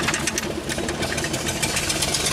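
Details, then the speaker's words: Ford Explorer, first drive after reassembly: uneven stumbling run with irregular pops and sputters, struggling to stay alive, smoking, with a wobble; misfire suspected, cause not confirmed. "keep her alive it's rock into the popping away I've never driven this [ __ ] thing with a wobble is so scary"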